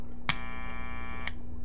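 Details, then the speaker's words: Bat Overdrive/Boost pedal with its click-mute circuit switched off: sharp clicks through the amp each time the pedal toggles bypass, over steady mains hum; with a delay after it, clicks repeat and fade. "then you hear like this click click click click that Fades off so that can be annoying"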